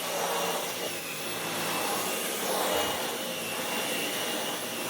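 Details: Dyson V12 Detect Slim Absolute cordless stick vacuum, which had been clogged and kept pulsing and cutting out, now no longer pulsing: steady high-pitched motor whir and airflow hiss holding speed as the head moves over the floor. Running normally.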